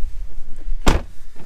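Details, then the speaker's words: 2014 Tesla Model S, roof opening fully: low motor rumble with short sharp squeaks as the roof slides back; sunroof squeak and rumble, owner suspects normal wear in the roof tracks. "But when I open the roof all the way, you will hear a little rumbling. You can hear those little squeaks and like the like rumbling when it goes out."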